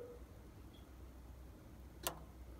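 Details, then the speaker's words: Key on, parking brake off: a single soft click over a low steady hum as the reverser's forward solenoid engages, less energetic than in reverse; weak solenoid pull, cause suspected, not confirmed. "and that's forward and it's less energetic and less happy i suppose so forward again and reverse um and you know"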